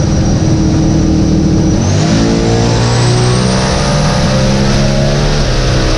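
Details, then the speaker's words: Billet drag-race engine on a pass at Bradenton Motorsports Park: hard acceleration, after the gear change the note changes and grows louder; engine went lean, injector failure suspected, motor damaged though fuel pump still worked. "Somewhere right after the gear change, you'll see it, and it changes notes, and you'll hear it get louder."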